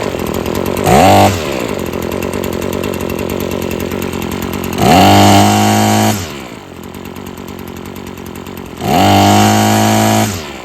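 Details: Husqvarna string trimmer after freeing a sticking trigger and carburetor adjustment (it kept cutting off): steady high-revving two-stroke buzz, three clean throttle blips rising smoothly and settling to an even idle; runs healthy.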